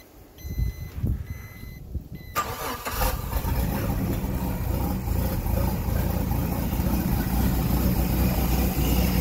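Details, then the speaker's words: 2002 Four Winns boat, Volvo Penta 4.3 GL engine: alarm beeps before start, then engine fires, beeping stops and it idles steadily; intermittent alarm blamed on a failing engine temperature sensor. "all right i don't hear the alarm going anymore yeah of course so now that i'm making the video it seems okay"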